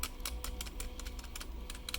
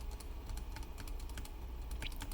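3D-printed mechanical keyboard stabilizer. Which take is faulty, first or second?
second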